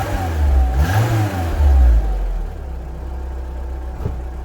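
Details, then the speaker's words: Renault Clio RSi after replacing a loud, ill-fitting boomy aftermarket exhaust with original Renault centre section and rear box: a few throttle blips settling to a steady even idle, smooth note with no drone or rattle. "so let's start it up and hopefully it sounds a little better than what it did"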